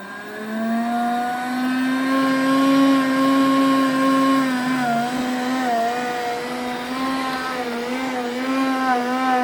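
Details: Roborock S5 robot vacuum bought November 2018, with a strange noise starting four days earlier and a burnt-plastic smell: a loud, strained motor whine that wavers in pitch as it moves.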